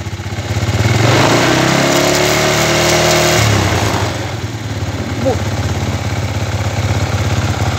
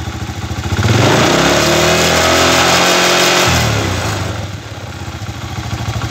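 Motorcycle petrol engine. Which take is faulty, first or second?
first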